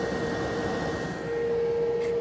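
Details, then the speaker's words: VTOMAN portable power station charging at 1500 W input from mains; loud steady cooling-fan rush over a faint constant hum, normal cooling at high charging power. "fortement c'est normal elle accepte 1500 w donc c'est c'est une bonne c'est une bonne puissance donc c'est vrai qu'elle se met à souffler c'est tout à fait logique"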